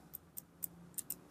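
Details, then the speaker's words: Fishing reel turned by hand gives sharp, light irregular clicks, roughly four a second; suspected kick gear (clutch star wheel under the drag washers) fitted backwards. "บอกตรงๆว่าอาการแบบนี้จะเป็นแค่จะเป็นเฉพาะพวกชุดเตะตีนผีที่มันสับตัวนี้ขึ้นมาเท่านั้นนะครับ"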